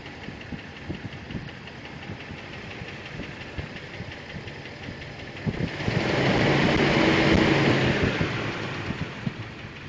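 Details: 2000 Jeep Wrangler TJ Sport at idle: light, fairly regular clicking about four times a second over the steady run, also very audible from underneath the Jeep; cause undiagnosed.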